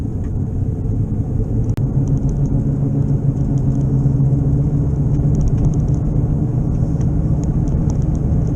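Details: Car driving, first at 15 mph then faster on the interstate: a deep, steady droning rumble and knocking under road noise that worsens with speed, from a bad, still-unrepaired wheel bearing first mistaken for an engine noise.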